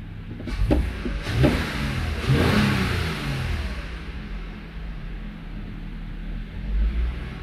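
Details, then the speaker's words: Toyota Avalon V6 idling cold: an uneven, stumbling rumble with heavy lurches and felt shaking. The misfire count confirms a cylinder 1 misfire that appears mainly when cold; an injector is suspected. "So number one confirm ng cylinder number one na may issue."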